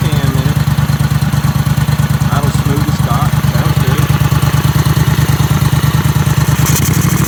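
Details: Briggs & Stratton Vanguard V-twin with dual carbs on a surface-drive mud boat, started before a lake run; steady even thump about three beats a second, no misses or stumbles; normal idle.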